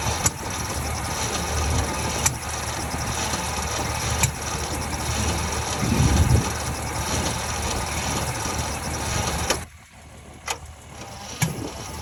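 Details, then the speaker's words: 1949 Ford shoebox, sitting 50 years, gas poured in, timing possibly 180° out: sluggish, uneven cranking about four turns a second, trying to fire; slow crank persists despite new starter cable, added ground and new jumper cables. "okay so I was getting obviously really really slow crank I ran a new starter cable um I added a ground even actually got new jumper cables cuz I thought mine might be junk"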